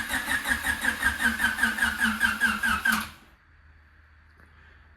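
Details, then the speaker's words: 2000 Honda Civic Si (Canadian EJ8, D-series) with knocking blown motor, battery warm indoors after sitting in -15 °C; laboured cranking with no plugs fitted, no start; engine turns easily by hand, weak battery suspected, swapped. "But like we weren't really seeing it, but with no plugs in the engine, it was still really struggling just to crank."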